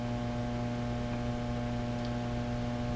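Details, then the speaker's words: Fender Blues Deluxe amplifier produces a constant low buzzing hum unaffected by any control setting, reportedly sounding out of tune or tremolo-like; mains hum from failing power supply filter capacitors. "doesn't matter where the controls are anything else it'll still be there now a lot of times they'll have a much lower frequency Helm than that but um that's filter cap issue soundwise"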